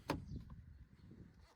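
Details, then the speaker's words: Car front door after the hinges were cleaned with soapy water and lubricated with LPS2 or WD-40; a single soft latch thud on closing, no creak or squeal, hinge squeak fixed. "And look at that. Quiet as can be again."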